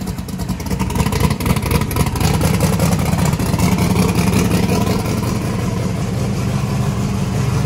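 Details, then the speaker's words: Truck swapped from gasoline to methanol with belt-driven fuel pump, first start: loud, busy, choppy idle with rev blips at about 4.7 air/fuel ratio, may be leaned out; starts and runs fine on methanol. "that was idling about 4.7 air/fuel ratios it's pretty good we might be able to lean it out"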